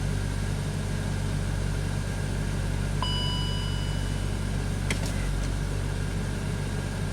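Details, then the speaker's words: BMW X5 with misfire history, running on the mass airflow sensor swapped from the other BMW: even steady low idle, no stumble or skipped beats; runs fine. "fine I mean this one runs great with a mass airflow sensor from the black BMW it's fine"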